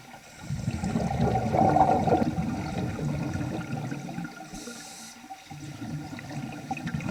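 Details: Vintage Nemrod Snark III double-hose scuba regulator on a pool dive making strange sounds never heard before, though it still worked very well; gurgling bubble bursts with each breath plus a brief odd tonal squeak early on, cause unknown.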